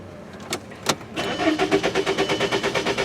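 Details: 2003 VW Jetta 1.8 with a no-start when hot and codes P0321/P0322: steady, even cranking about three pulses a second, never firing; crankshaft position sensor suspected, not confirmed; crank no start.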